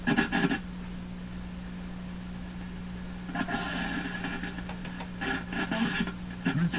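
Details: Canadian Westinghouse Model 577 radio under repair by signal tracing, after lubricating a spring contact: steady low hum under irregular scratchy crackle bursts about every second; noisy reception, source not pinned down.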